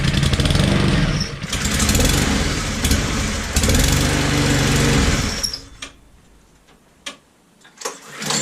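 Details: Brand-new Honda IZY lawn mower (new 2020 engine model), first startup after filling with oil and a plug-out crank check: the small engine catches and runs smoothly and evenly for about five seconds, then shuts off. Normal running.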